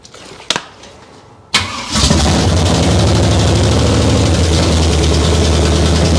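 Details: Abandoned 1968 Camaro small-block Chevy V8, timing sounded right: cranks, fires into loud rapping idle with clattery edge; exhaust clatter suspected, unconfirmed.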